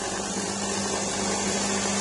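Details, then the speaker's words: DeLonghi EC270 espresso machine with newly installed 20-bar water pump: steady even buzzing hum, no rattle or strain, as water starts flowing out; pump works perfectly after replacement. "Ah, voilà, l'eau sort, c'est bon, c'est parfait. Comme vous pouvez voir, ça pisse de l'eau, c'est parfait."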